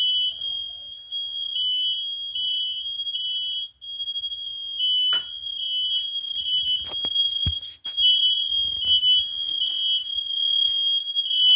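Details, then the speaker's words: Kidde i9010 and fireX i4618ac smoke alarms in a box steam-tested with a humidifier: several shrill high beeps overlap in uneven continuous patterns as multiple detectors sound together, responding properly. "A whole bunch of them are going off right now."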